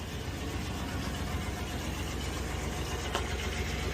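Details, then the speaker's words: 1996 Chevy 1500 V8 idling after replacing its 30-year-old exhaust with new gasket and double-inlet muffler; low, steady, even rumble, smooth and quiet with no knocks, ticks or leaks. Normal idle. "You can hear how much better this baby's running right now. Nice and smooth and quiet."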